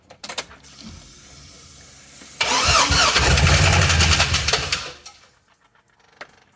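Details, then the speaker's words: Long-sitting LS 6.0 V8 with a 4L80E, freed with a breaker bar and fitted with new injectors, first start with no mass airflow sensor: a rough roar and thumping for two seconds, then it stalls. "that sounded really bad attempt number two with the coolant hose is blocked off"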